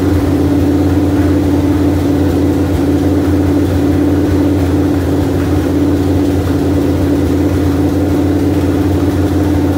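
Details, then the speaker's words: 1973 Dodge Dart engine after first start in years, HEI, a back passenger-side header bolt leaking: steady even idle with smooth low rumble, no misses or knocks. Normal idle. "I mean obviously you heard the engine run it ran really great"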